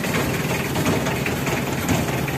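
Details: Mitsubishi L300 diesel, engine still hot, idling with a heavy, uneven clatter and slightly lumpy beat; complaint is stinging white smoke in the morning; leaking injectors or broken piston rings suspected, rough idle.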